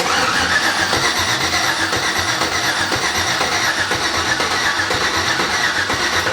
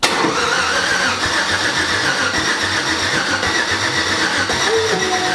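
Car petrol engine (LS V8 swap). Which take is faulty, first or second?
second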